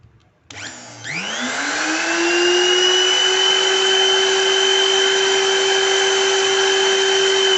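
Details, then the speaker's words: New BULL BL2601 wood router, 930 W, 23000 rpm rated, 1/2-inch collet, on 220 V, running with no load: spins up within a second to a clean steady high whine, no rasp or squeak; strong vibration, normal running. "Mesin baru seharusnya terdengar baik-baik saja. Tidak ada suara kasar atau berderit, lho."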